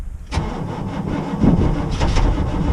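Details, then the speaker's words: Ex-military Humvee (HMMWV) diesel, cold start, glow plugs already cycled a couple of times: starter churns steadily with uneven firing pulses but never catches; no start, weak batteries suspected, may need a jump. "think it's gonna do it don't think it's gonna do it i'm probably gonna have to jump it"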